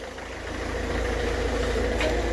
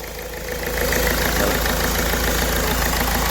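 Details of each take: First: Ford Figo diesel after replacing the faulty injector (formerly code P0203): smooth, even idle with a steady low rumble and no knock or miss; all cylinders running cleanly. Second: Ford Figo diesel with DTC P0203, then an open circuit fault: a knocky, lumpy idle with hunting and the malfunction light on. The number 3 injector is shorted, causing a cylinder misfire.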